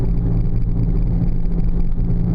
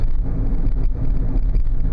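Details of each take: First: 2000 Oldsmobile Silhouette GM minivan driving at 20–35 mph: a deep, steady howl or growl under the road noise that gets louder with speed and briefly fades in a left bend, pointing to a worn wheel bearing hub. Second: 2000 Oldsmobile Silhouette minivan after replacing the front wheel bearing hub assemblies, driving at about 30 mph. Steady low road rumble with no rising hum or growl; the earlier loud hum is gone and the bearing sounds normal.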